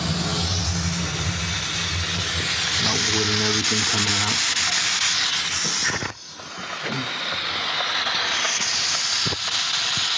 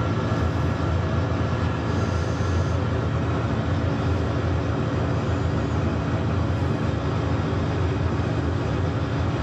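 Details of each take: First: Steam boiler on a heating service call, using water faster than usual and locking out on low water cutoff: loud steady hiss drowns out the burner rumble, dips briefly, then returns. Steam leaking from the main air vent. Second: Steam boiler on a service call, locking out on low water cut-off, test-fired while checking piping for leaks, main air vent found leaking; steady even low roar, no pulsing, sputter or rumble; normal burner firing.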